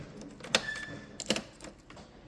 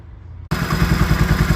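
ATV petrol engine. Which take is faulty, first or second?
first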